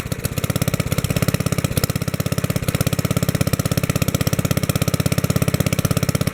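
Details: 1964 Wheel Horse 704 Kohler single-cylinder after fixing rod knock from worn rod and crankshaft (crank still 0.002 in out of round), fresh oil: steady, firm single-cylinder idle, no rod noise, lifters tapping, belt flapping against guard; normal idle.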